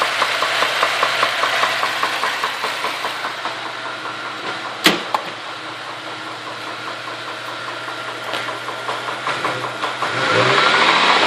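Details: Holden VZ Commodore petrol engine idling with a steady, quick knock, about four a second, continuing as it revs.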